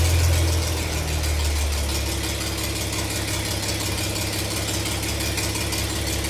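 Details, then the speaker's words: Farmall 706 gas tractor with M&W pistons, after new distributor and spark plugs: low steady thumping idle around 500 rpm, even with no misses or stumbles; starts and runs better than before; normal idle. "well as you can tell I think one's much better it starts better to that service starts better"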